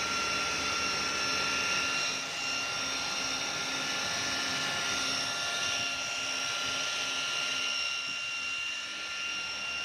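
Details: Humming noise on a 2013 Chevrolet Malibu with the engine running: a steady high-pitched hum with several constant tones and no knocking rhythm, origin unclear; timing chain noise is suspected.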